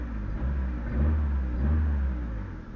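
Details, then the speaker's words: Proton Waja MMC automatic being diagnosed for idle trouble, stepper motor already replaced, thermostat missing: even low rumble with slight swells. Idle held high while cold because the ECU waits for 80°C; a thermostat is needed. "Stable a tak ada hal sebab ni >> temperature tak cukup. So ECU akan minta setiap motor tahan dekat situ bagi dia panas."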